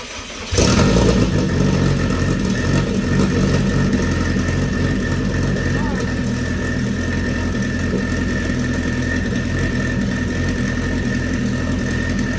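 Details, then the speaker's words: Race car first start after sitting over a year: engine fires and settles into a steady, even idle with no stumble; runs properly. "so uh motor runs uh it sounds great"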